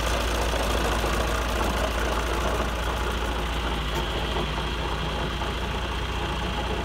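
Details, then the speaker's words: John Deere 2040 tractor diesel at steady idle: light, loose rattle over the normal clatter, holding at engine speed; bad water pump bearing with visible shaft wiggle, before the pump rebuild. "it's got a bad water pump bearing so you can see by that wiggle right there and we're gonna fix it that's that water pump yeah that's the water-pump rattling"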